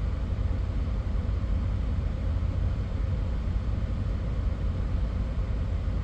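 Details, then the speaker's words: 2022 Chevy Corvette C8, 7,531 miles, check engine light on, warm at 198-199 degrees, in drive with foot on brake: steady low idle, even rumble, no stumble yet; car has stalled at idle, cause unknown. "My foot is just on the brake. I'm gonna try to hold this pose right here until we see if the car shuts off."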